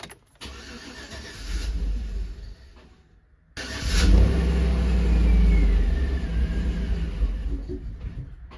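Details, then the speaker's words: 2013 Chevy Tahoe with crank no start, code P2635, corroded wiring and a bad fuel pump control module: with the module powered by a jumper wire it fires after a brief stumble, then runs unevenly and surging for about 3 seconds. "Doesn't run quite well, but it does run somewhat."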